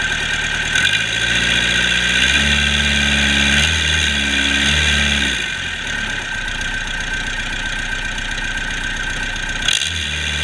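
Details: Cummins 4BT 3.9L turbocharged diesel on a test run after repair comes up, revs briefly, then settles to a steady clattery idle with no knocks or misses; normal idle.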